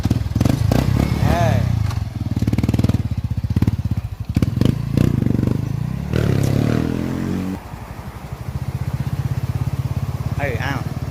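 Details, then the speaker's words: Single-cylinder motorcycle at idle after exhaust work. Deep, even thump at idle, blips pick up cleanly and settle back; no leaks; normal exhaust note. "ปกติตัวนี้มันเป็นผ่าหมกมันก็ไม่ได้ดังเท่าไหร่นะครับ"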